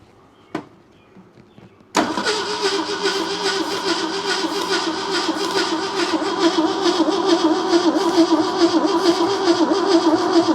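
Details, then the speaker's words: 1971 AMC Gremlin sat since about 1984, start attempt on jump box and starting spray: steady uneven cranking chug about two beats a second with no catch; starter overheating and smoking, owner suspects weak spark. "Got the starter smoking. All right, let me let the starter cool off."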